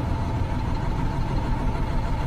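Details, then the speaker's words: 2009 International with Cummins ISM diesel, idle injector cutout test with number five cut: idle runs rougher and trembles more, so injector five fires properly; number six showed no change and is not working. "I hope you can hear the difference, and it trembles a lot more."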